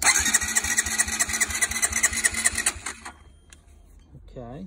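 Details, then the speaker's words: Honda CB125R under rebuild, spark just restored, fresh petrol put into the engine and air box; steady chuffing crank at about two beats a second with thin hiss, fails to start, possibly low compression. "doesn't sound good to be honest so i've put petrol right into the air box"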